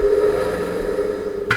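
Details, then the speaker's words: Herbert Junior surface grinder three-phase motor on a home-made static converter in cold weather: steady low electrical hum with no run-up in speed; motor stalled, converter lacking starting torque in the cold. "I'll show you the problem now it's quite today it might pick up it might not no it's stalled look you hear"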